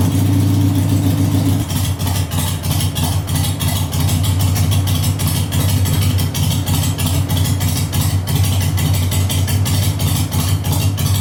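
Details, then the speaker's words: 2001 Harley-Davidson Sportster 883 Evo V-twin, CV carburetor just adjusted, cold start on choke: fires up and settles into a loping, even potato-potato idle at about three beats a second, no stumble or backfire. Healthy. "Okay, so that was good. That's like perfect. I'm gonna lock this down."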